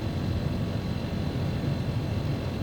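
Deep, steady rumbling drone with an uneven buzzing throb underneath; this unit is running rough and vibrating abnormally.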